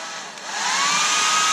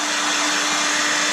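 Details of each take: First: Hair dryer that developed a high-pitched noise: a steady airy rush with a clear high squeal over it. The owner suspects something rubbing or a dry motor bearing, and the noise is still present after reassembly. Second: Hairdryer after resoldering a joint to cure a high-pitched buzz: smooth, even fan rush with a steady motor hum and no extra buzzing or rattle; normal running after repair.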